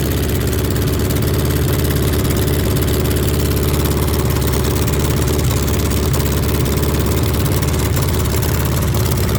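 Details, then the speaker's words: VW Beetle rat rod air-cooled engine at first start after rebuild: loud, steady low idle with slightly uneven lope; carburetors still need adjusting, rough idle from out-of-balance twin carbs. "Uh, there's still some adjusting to do on the carburetors."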